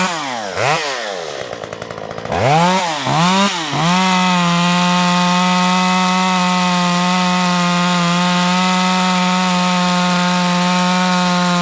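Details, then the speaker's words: Stihl MS194T chainsaw after fuel-system repair, warmed up and cutting wood: a few quick blips, then a high, steady buzz holding pitch under load; pulls cleanly and strong; normal running under load. "Not too bad."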